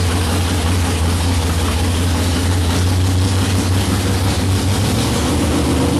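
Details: '55 Chevy hot rod, 454 big-block, 14.5:1 compression, iron heads, 5500 stall, first fired after sitting 25 years, idle and timing not yet set: loud, deep, steady V8 idle with even chop, no knocks or misses; healthy.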